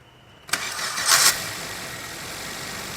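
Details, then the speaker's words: Maruti Swift (2017 model per speaker, 2020 in title) with a starter noise while the clutch is pressed: after repair, starting with the clutch released gives a short, clean starter spin that catches at once into a quiet idle; no grinding, problem fixed. "अब करते हैं गाड़ी को start अब देखो गाड़ी के अंदर कोई दिक्कत नहीं है"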